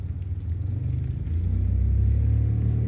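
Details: 2015 Kia Forte 1.6 GDI after pulling a coil found bad for multiple misfire codes: catches quickly, revs rise and settle into a low even idle with steady beat and no stumble; runs clean.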